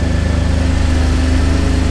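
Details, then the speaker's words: Mercedes that was headed for the junkyard, idling after new spark plug wires were fitted, choke on so revs slightly high: even, steady idle with no misses, now perfectly smooth where it was shaky before; normal idle. "yeah I think that fixed it does it feel uh smooth it's so smooth now I don't feel so before it was like a little bit like shaky"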